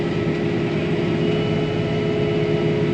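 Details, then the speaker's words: Soybean planter pulled by tractor: a thin steady high squeal from a row unit, either a gauge wheel, closer or disc opener; owner suspects bearings going bad but can't tell which one. Squeal, cause unconfirmed. "I have it's either a gauge wheel or a closer or a disc opener squealing back there. I can hear it like squealing, like the bearings are going bad."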